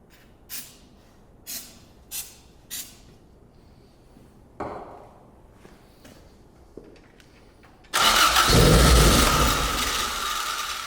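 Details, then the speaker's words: Toyota AE86 Corolla 4A-GE with new cams, dual Weber 48DCO sidedraft carbs and an ignition box, at its first startup on starting fluid: a few ticks, then it fires right up into a steady, strong idle. "uh but I mean it's firing right up sounds good I mean for as good as you can tell with the thing on starting fluid"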